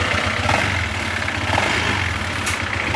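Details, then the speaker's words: Honda ADV160 scooter at 31,941 km, before repair, electric fan in background: idle with dry clacking rattle and light ticking; cause not yet known, magneto and plastic oil pump gear to be checked first; engine rattle and ticking. "Irinig niyo na yung tunog na yan. Yung maggarag-gar tapos malagitik."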